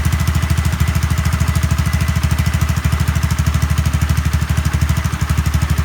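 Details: Honda Zoomer-X scooter after new fuel filter and fuel pump motor, repairing hard starting and stalling: even, steady low idle putter, regular beat, no stumbling or dying; normal idle.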